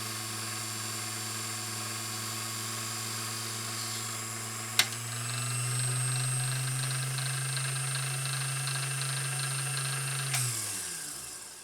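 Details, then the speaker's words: Vintage Singer 201-2 sewing machine (Carol's) after restoration, run with the bobbin winder engaged: the motor spins up to a strong, steady hum, then settles under the winder load with only a slight dip in speed; a meaty, strong, healthy, even-running motor. "that is a meaty strong happy motor"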